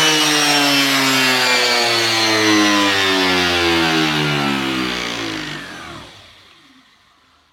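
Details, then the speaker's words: Homemade generator driven by a drill for a planned vertical wind turbine setup: a loud, piercing droning whine full of high tones holds steady, then winds down; excessively noisy, painful enough that this setup was dropped. "bon attention les oreilles ça fait du bruit ça fait vraiment du goût c'est pour ça que j'ai laissé tomber ça faisait mal à la tête"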